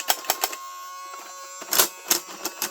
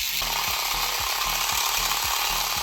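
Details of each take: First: 1980s Tomy Turnin' Turbo toy dashboard whose road no longer moves: with the key turned, a thin high motor whir between clicks and clatter while nothing moves; the owner suspects the motor spindle is spinning freely because its cog has broken off or moved out of place. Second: 1980s Tomy Turnin' Turbo toy dashboard during repair: with the fuel reset, a steady high motor whir with a light regular tick from the turning cogs; the road moves and the fuel panel slowly comes down, so the gear mechanism runs normally.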